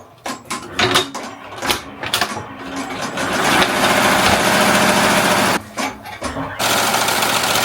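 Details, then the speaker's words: Melco Summit embroidery machine stitching an 8,000-stitch logo on a jacket at 850 stitches per minute: fast, even chatter with no knocks or catches; running cleanly. "So, like I said, we are running currently at 850."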